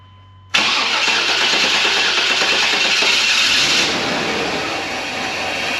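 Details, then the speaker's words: 1999 GMC Suburban after intake work: fires straight away with a loud harsh roar, runs uneven, then sags; rough running, sounds horribly out of time though it was put back where it was; cause unconfirmed. "that's fcking horribly out of time but I put it right back where it was yeah it's readjusting itself or something"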